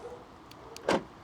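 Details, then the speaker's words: Mercedes Sprinter van central locking, locking at the front door: one crisp thunk with faint ticks before it, actuator works normally; the side and rear doors don't lock after a screw went through a wiring loom behind the new ceiling. "Now, you can hear that locking. And that one's locked."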